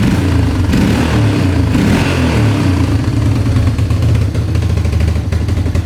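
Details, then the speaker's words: Vehicle that was stuck in reverse: the engine surges and sags unevenly with rattling under the revs instead of holding steady. Uneven running; the mechanic suspects the air-fuel mixture screw needs adjusting. "Sounds like we might need to uh adjust the uh air fuel mixture screw"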